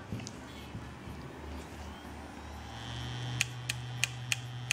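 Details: Samsung 640GB 2.5-inch laptop hard disk, damaged, connected to a computer: spins up with a rising whine, then sharp clicks about three per second from the heads.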